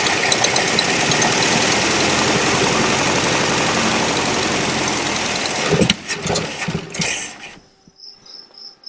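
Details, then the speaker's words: Abandoned 1974 International 150 pickup with IH 345 V8, fuel line disconnected: even starter cranking at about three compression beats a second for nearly six seconds, no fire; engine turns over freely. "Well, that sounds pretty good."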